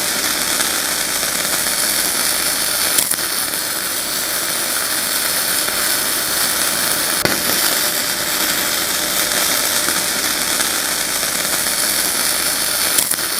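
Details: Ramco 120 A MIG welder, flux-core without CO2, at 80 amps: continuous crisp frying crackle with even sizzle and few pops; stable arc laying good bead.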